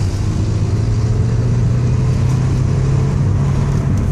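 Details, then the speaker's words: 2000 Renault Laguna Alize, right-hand drive, 5-speed, 100k miles, on a test drive in second gear: steady low engine drone, no clunks or knocks from the transmission; gearbox normal. "put it in a second there's no clunks in the"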